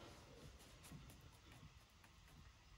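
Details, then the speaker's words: Isuzu NPR steering gearbox after worm gear adjustment via slotted stud and jam nut: pitman arm rocked back and forth gives only soft low rumble, no clicking or slop. "you hear it's already getting quieter keep repeating the process till that pitman arm has zero slop in it"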